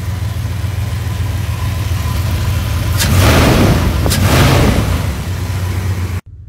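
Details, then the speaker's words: 1997 Dodge Ram 1500, 5.2 Magnum V8, after rod knock repair attempt: even, steady idle with two brief throttle blips, oil pressure up, no rhythmic knocking; bottom end now quiet. "see how bad it sounds what it's not even knocking oil pressure okay oh there goes the oil pressure and it's not even knocking anymore"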